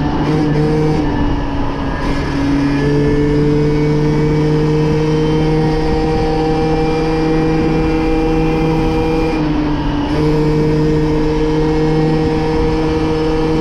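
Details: MBK moped two-stroke after leaning out its carburetor mixture, still slightly rich at low end, with top speed going from 30 to 70 km/h: a steady high-pitched buzz that rises and settles cleanly between throttle blips, running crisply with no stumble.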